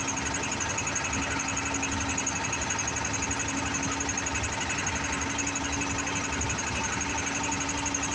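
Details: TATA BS4 CRDI diesel blowing white smoke: rapid, fairly regular knocking near four per second over harsh diesel clatter with a sharp high edge; abnormal knock, cause unknown.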